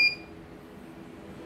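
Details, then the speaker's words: Error alarm beep, one short high-pitched beep then quiet, from a CNY embroidery machine that arrived fully jammed; calibration had tested normal just before. "Oke, okay. Error. Kalau error begini ya terpaksa kita buka lagi."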